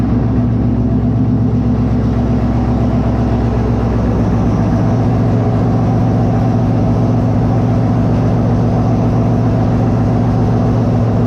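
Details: Monaro V8, first start after reassembly with a new Crower cam (217/226, 114), on open headers not joined to the exhaust: loud deep rumble firing evenly with lumpy cam lope, no knocks or ticks; running healthy.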